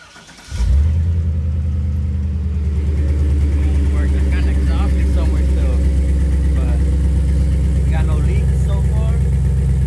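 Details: Chevrolet Silverado 6.0 V8 after installing a Walbro 255 in-tank fuel pump, system primed; engine catches within a second of cranking and settles straight into a steady, even idle with no stumble; starts and runs normally.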